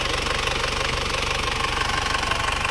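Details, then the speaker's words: Isuzu Panther Touring diesel, engine rebuilt again a year after a prior rebuild, cylinder liners returned to original type; now no exhaust smoke. Fast, even diesel clatter at idle, steady beat, no dropouts: normal idle. "kita gas asap knalpotnya sudah bersih banget nggak ada asapnya beda jauh sama yang kemarin hidupnya juga rata"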